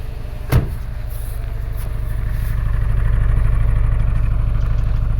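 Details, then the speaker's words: 2012 Subaru Forester SH, EJ255 turbo, after a blown oil hose, flashing check engine light; at the exhaust, idle has lumpy, uneven pulses with a steady stumble: single-cylinder misfire. "Yeah, it feels like a single cylinder miss to me."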